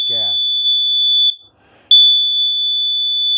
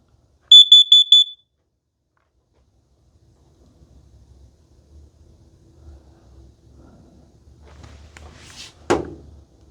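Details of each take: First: Kidde plug-in combination explosive gas and carbon monoxide detector with 9-volt battery backup, test button pressed: long steady high-pitched beeps with brief pauses signal explosive gas, before the four quick beeps that indicate carbon monoxide. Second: Kidde plug-in gas and carbon monoxide detector self-test: piercing high beeps, the first set for gas, then a second set for carbon monoxide, followed by quiet room noise.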